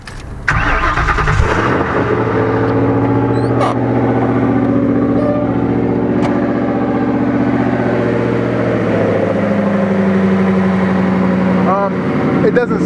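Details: Ford Maverick project car, after fixing a stuck-open fuel fault and warming up: brief crank, catches at once and settles into a steady, even idle with no stumble or miss; no longer smoking though still smelling rich, runs healthy.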